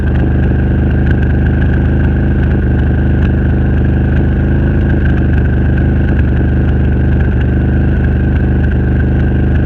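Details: Renegade 1000 V-twin idling with rough stumbling beat and occasional hiccups; misfire, cause not yet known.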